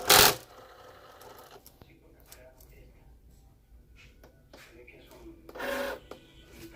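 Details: Cricut Explore Air 2 craft cutter loading a mat: short, harsh mechanical bursts with quiet between them, an abnormally loud noise.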